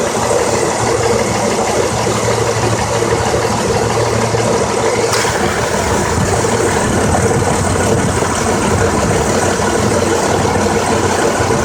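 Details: 2003 Honda Accord EX 3.0L V6, 6-speed, 171k: lumpy, stumbling idle misfire despite new plugs and coils, codes P0300 and P0303–P0306, blinking CEL; cause was one new ignition coil dead on arrival.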